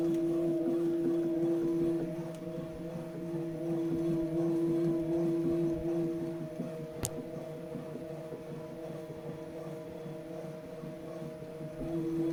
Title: Tacx Neo Bike thumping sound, out of the box, after second replacement...